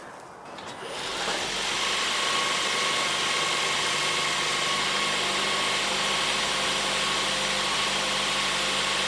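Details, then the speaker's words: 2013 Ford C-Max starting right after a spark plug replacement: it catches after a second and holds a steady, even hum with light regular ticking, no misfire; running smoothly. "definitely feels and sounds like it's running smoothly. That's for sure."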